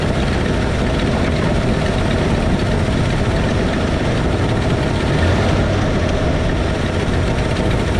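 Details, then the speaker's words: 1968 Ford F100 V8 running loud and steady with the valve cover off during valve adjustment: a busy top-end clatter as loosened rockers clack; valve train clatter from excess valve lash. "I'll loosen up each of these until it clacks. When it starts clacking, you want it to clack just for a little bit. You want it to clack just for 10-15 seconds."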